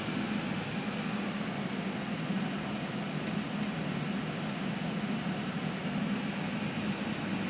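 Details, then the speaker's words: Ender 3 3D printer with SKR 1.3 board in an Ikea Lack enclosure, printing from SD card: steady even fan hiss and low hum with no stepper whine or clatter; normal quiet printing, only fans audible. "and one thing he'll probably notice is this thing makes no noise at all outside the fans with the ceiling fan on and the air conditioner running you can't even hear the thing it's crazy"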